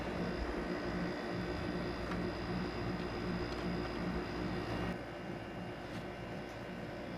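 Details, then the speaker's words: Maytag 5200 BTU digital window air conditioner after fixing a rattling rear radiator: even low compressor hum with soft fan whoosh and no rattling or buzzing panels; runs quietly and normally. "Yeah, it sounds good now."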